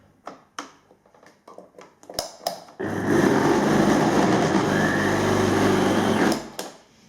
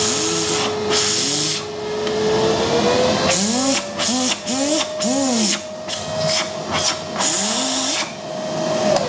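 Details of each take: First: Philips vacuum cleaner runs briefly with a heavy, rough low hum under the airflow rush, shaking enough to make the lights flicker. On disassembly the motor bearings were found failed, with some balls fallen out of their race. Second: Philips vacuum cleaner, formerly humming and shaking from failed motor bearings with balls escaping. After bearing replacement and a lathe-turned armature, the motor spins to a steady, clean whine and winds down. Brushes are still bedding in.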